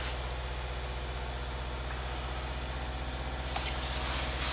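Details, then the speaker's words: 2020 Subaru WRX turbo at idle after owner's DIY tune-up (plugs, air filter, oil, injector cleaner); steady lumpy stumble about three times a second, constant cylinder misfire, check engine light blinking, lost power and stalling. "Okay, so it's still definitely has a misfire. Pretty constant misfire."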